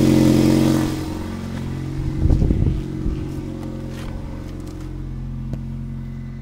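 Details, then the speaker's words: 1998 Toyota Corolla: a noise began while climbing a hill at about 50 km/h and 3500–4000 rpm and persists off throttle. Heavy roar settling to a rough, uneven drone with a burst of clatter. Loud engine noise, cause unknown. "So what I have here is a 98 Corolla. Engine noise is really bad, so"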